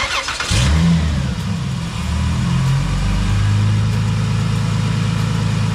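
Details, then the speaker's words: 2000 Dodge Intrepid, long-sitting, started after new belts and new battery: starter catches and engine settles into a steady, even idle with no squeal or chirp; belts good and tight, engine healthy. "right. So, the belts are good and tight. There's no squeaks coming out and stuff."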